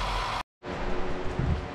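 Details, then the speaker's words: 1977 Datsun B210 petrol engine after fuel and ignition system cleanup and a new battery, first start, running rich and smoky, owner suspects a stuck choke: low uneven rumble lurching irregularly after a brief dropout; rough idle. "started wow started right up I did not expect that I expected it to take a bit but look at that look over there oh my goodness this thing is running rich I think I need to just screw that fuel needle in"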